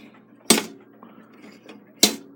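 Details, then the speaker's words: Takeda 30-day octagon clock stopped after caretaker winding: on the strike side two sharp metallic snaps about 1.5 seconds apart with no ratchet clicking; mainspring end slipping off its hook. "you turn it you can hear the end of the spring slipping off the hook okay and then obviously there's no no ratchet no clicking happening there so something is wrong with this"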